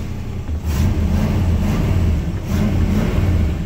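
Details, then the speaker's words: 1969 Buick GS California with the 280hp 350 V8, Turbo 350 and performance mufflers, very low miles, oil pressure almost 40: a deep, steady rumble swelling smoothly through revs, no knocking, with only a little condensation from the exhaust. "Engine sounds good, no obvious knocking going on."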